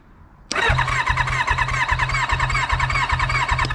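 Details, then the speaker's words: Kawasaki Ninja motorcycle engine with one plug out for a spark test: starter turns it over in even beats, about three a second, without firing; very weak spark shooting off the plug rather than the tip; new plugs suspected needed. "Spark's not coming out the tip just like shooting out all over the place it's a [ __ ] spark"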